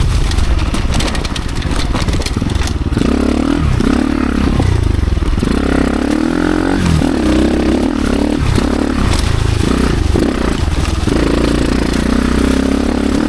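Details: Dirt bike on a trail ride in first and second gear after gearing changes: the engine labours low and heavy, revs sagging and surging, nearly stalling. The rear wheel was bound up on the brake caliper or axle; the idle is also lower than before.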